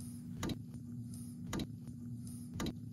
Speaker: now you can hear the relay clicking because we have it preset to reset at 2 000 counts